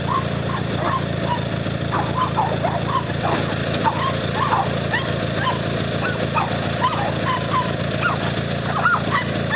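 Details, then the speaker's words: 18HP Noma lawn tractor twin, started by bump-starting the solenoid with pliers after charging the battery: a steady, even hum with no knocks or misses under barking dogs, so the engine runs healthy. "yep she's a runner"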